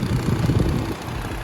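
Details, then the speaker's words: Infiniti G35 coupe VQ engine, warm idle: low, uneven thudding from the radiator cooling fan, starting at a certain temperature or with the AC on and stopping when the fan stops; worn fan bearings, not engine knock. "it's a sound that's coming on the car every time the car gets to a certain temperature"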